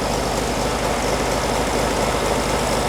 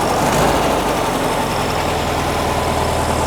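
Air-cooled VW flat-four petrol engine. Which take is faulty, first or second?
first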